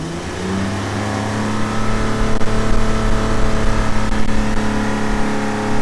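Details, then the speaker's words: Old Ford engine deliberately run with its head full of sand and water: revs drone unevenly and roughly, wavering and sagging instead of climbing cleanly; it may be losing power. "So if that doesn't kill it, I don't know what will. It's losing power. Maybe."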